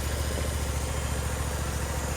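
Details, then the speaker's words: Briggs & Stratton Vanguard V-twin on a Vermeer SC362 stump cutter after replacing bent pushrods and adjusting valve lash: smooth, even low idle, no ticking or clatter, minimal vibration; runs much better than before. "Sounds a lot better than what it did before. Very smooth, in a minimal vibration."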